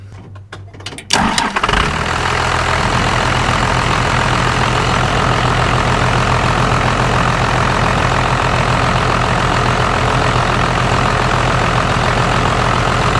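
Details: 1st-gen Cummins diesel pickup started after fuel filter removal and fuel leak repair, following a lift pump change: brief crank, catches right away, settles into steady even diesel idle clatter; starts and idles normally.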